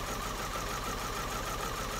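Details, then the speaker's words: Vauxhall Astra Mk4 with misfire and pulling back under load, idling: listening on each injector, number four gives fast, even continuous ticking like cylinders one to three; normal fuel injector ticking, injectors ruled out. "pot number four tick tick tick right we can write that off i'm happy of that they're ticking away"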